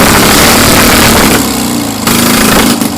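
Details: Citroën 2CV spare engine, just revived after years of storage, runs lumpy and uneven at about four beats a second with heavy smoke. The oil is not yet warmed; the engine is rough but clearing its throat.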